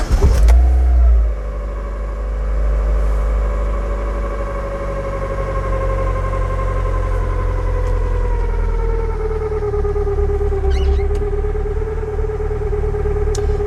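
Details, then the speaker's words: Mazda Miata MX-5 after a repair for a rough, fluctuating, stumbling idle: starts, flares, then settles to a steady, even idle with a faint startup whine that fades (owner says it goes away when warm); now runs great. "it's running great"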